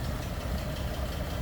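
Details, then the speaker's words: 1936 Ford Woody Wagon flathead V8, heard from behind the car: low, soft, even burble at idle with no knocks or ticks; smooth-running flathead, normal idle. "sounds like you'd expect a flathead to sound kind of that"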